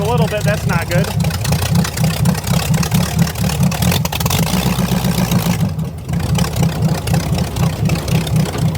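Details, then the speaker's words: Buick Nailhead V8 in a vintage rail dragster, right after a carburetor change and tuning: big V8 holds high, lumpy, pulsing revs and won't drop back to idle; throttle sticking open, needs a heavier return spring. "good I got to put a heavier spring on the throttle are you watching yeah I got to put a heavier string on I got to put a heavier spring on a [Music] throttle"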